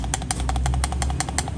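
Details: Sharp, fast knocks over a deep rumble from under the car, heard when turning left and right; a badly worn, loose CV joint, fix is to check and replace inner/outer joints and clean the ABS ring.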